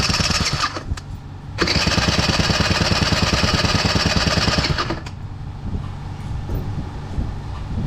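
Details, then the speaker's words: Honda Joker 50 scooter, no start after long storage, fuel pump replaced and an exhaust leak noted: engine turns over and catches in rough uneven bursts, about three a second, then sags back without running cleanly; hard starting. "มาสตาร์ทใหม่ดูสิครับว้าวดูมั้ยทำไมสตาร์ทไม่ติด"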